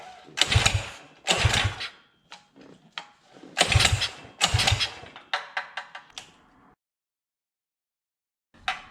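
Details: Coleman CT200U-EX mini bike with a Predator 212 carrying unknown internal mods, billet flywheel, VM22 carburetor and custom dual exhaust. After sitting a while, with gas poured in and the carb possibly dirty, several pull-start bursts catch briefly and die: hard starting.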